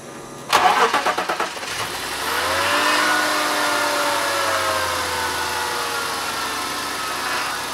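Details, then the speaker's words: BMW E39 520i after swapping a too-loud power steering pump for a used one and filling with ATF 220: engine starts, then a mild steady whine rides over the idle; still slightly noisy but no longer audible inside the car. "And swapping the pump did work. It still makes some noise, but i can't hear it inside the car anymore so that's fine for me."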